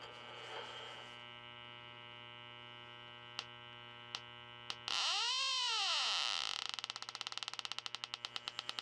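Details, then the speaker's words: 10-year-old Trane/American Standard system, electronic leak detector probe at back of the air-handler coil: steady tone jumps to rapid beeping about four per second; refrigerant leak confirmed, coil finished. "all right guys we picked up our leak up front here let see what happens when I stick the probe to the back of the air"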